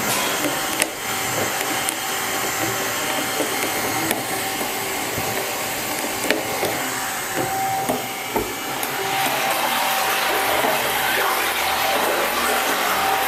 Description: Another failing agitator motor, sounds like the output bearing cage has broken up.